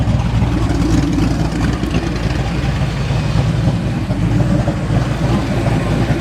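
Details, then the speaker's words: 1989 Mustang GT V8, first start after sitting over 10 years, still needing a complete fuel system: a steady, even low rumble with no misses, knocks or ticking; idles smoothly, and oil pressure looks good. "Oil pressure looks pretty good. Idle looks good."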